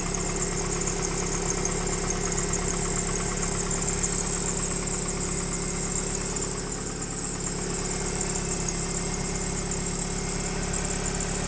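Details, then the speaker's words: 1998 Mitsubishi Eclipse, first start after sitting, idling around 900 rpm: a faint, roughly regular light knock of a few beats per second. It needs a timing belt, and the smoke is from condensation; the cause of the knock is unclear. "What's that sound? I hear a sound."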